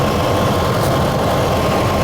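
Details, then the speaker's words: Truck with a suspected vacuum leak, engine still warm: a short burst of slightly uneven idle with airy hiss over the top. Earlier it flared to 2000 rpm at start, possibly only when cold; running a little rough. "what it was doing before is it would go all the way up to 2000 rpm when i first started could be two because the engine's still warm maybe it only does that on a cold engine it's running a little rough too"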